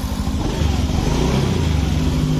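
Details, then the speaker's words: 2019 Honda Beat Street scooter idling with a rough, busy rattle over a low hum; smokes from exhaust and burns oil before change interval; noise diagnosed as cam chain rattle from a weak cam chain tensioner. "ya teman-teman Ini untuk penganalisaan suara berisik nah sebelum kita bongkar kita analisa dulu berisinya kira-kira Dari mana Apakah dari sehar apakah dari kelep setelannya terlalu renggang Apakah dari penekan Kenteng"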